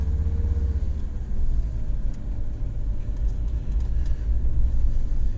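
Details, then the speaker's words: 2003 Jeep Grand Cherokee on a low-speed test drive after rear wheel bearing replacement: smooth low road rumble, no growl or hum rising with speed, rear bearings now quiet. "important thing is there's no more noises from these bearings."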